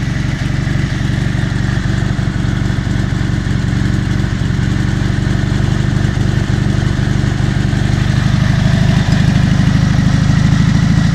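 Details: Dnepr MT-11 solo boxer twin on trial start after ignition (BSZ commutators and coil) repair and full rewiring, carburetors not yet adjusted: steady, even low-pitched idle with regular beat, no misses, knocks or rattles; running healthy.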